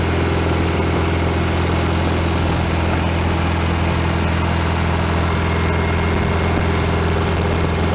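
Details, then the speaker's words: 1965 VW Beetle rebuilt air-cooled flat-four, first run-in off the car after fixing small carburetor fuel leaks, planned 20-minute run: steady, even idle with soft low thrum, no knocks or ticks; normal healthy idle, sounds pretty good. "all right we're good to go sounds pretty good so"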